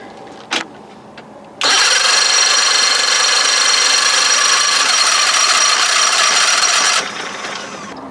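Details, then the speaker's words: 60 hp Johnson outboard after solenoid trouble and jump-starting, owner wonders if it's flooded: high even starter whir for about five seconds with no firing; cranks but won't start, cause not confirmed. "it's never started fast before this is I don't know what to do anymore"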